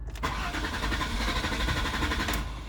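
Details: Car that starts then immediately shuts off; throttle body suspected. Cranked with the brake pedal held down: a steady fast crank with even pulses for nearly three seconds that never catches. Crank, no start.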